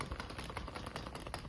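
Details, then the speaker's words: A removed axle from a Turbo S, with its outer CV joint turned by hand and no engine running, gives quiet, uneven clicks and taps. The outer joint is broken: the cup is trashed, but the cage is thought good. "like I said that axle was broken it's right here it was the outer of the axle is broken um you can hear it"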